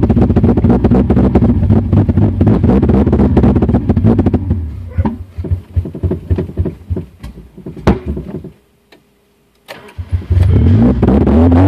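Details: 2000 Honda CR-V with B20Z engine: runs lumpy with uneven beats, stumbles, falls to near silence and stalls, then cranks and catches again; misfiring and stalling.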